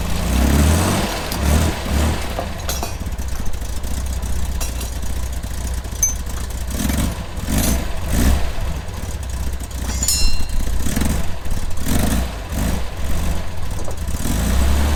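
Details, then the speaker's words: Corvair flat-six, freshly started after a fuel pump replacement. It idles rough and lumpy with dropped pulses, a clear miss at idle; owner suspects the wires, which sometimes get unplugged. "missing. Why is it missing? Something about these wires."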